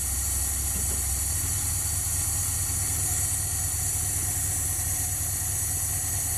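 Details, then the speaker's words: 1977 Dodge van 318 two-barrel V8, first start after rebuild for mileage and power: low even idle with smooth steady beat, no ticks or knocks; quiet and healthy. "sounds good guys what do you think quiet as can be"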